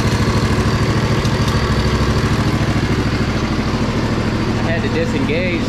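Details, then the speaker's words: Crusty Poulan Pro zero-turn, just started: an even, regular putter of about three pulses a second with a very quiet muffler and no knocks. Normal idle. "man I can't believe how good this thing sounds Muffler is super quiet so oh hold on"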